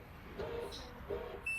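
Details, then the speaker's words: Reynolds DM25/DM28 bi-directional radio blind motor: two short motor jogs with brief beeps after holding the new remote's stop button, confirming the new handset has paired. "take your new remote control press and hold the stop button until the motor jogs twice"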